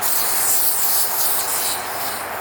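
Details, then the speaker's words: 6.2 Hellcat Challenger with a flat tire, after tire sealant goo was added and the engine was turned off: a steady airy hiss, fading slightly, as air is still leaking from the tire. "so we just added a bunch of goo into the tire but it's still leaking"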